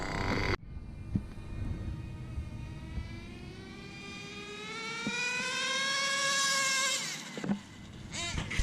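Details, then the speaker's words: HPI Bounty Hunter nitro RC monster truck doing a speed run (about 52–56 mph) with the two-speed transmission still being adjusted: engine note climbs steadily for about five seconds with no pitch drop, so it never shifts; owner thinks the shift was set too late. "I didn't hear it shift, so we gotta. Still adjusting the 2 speed. I was probably too late there, so let me readjust it."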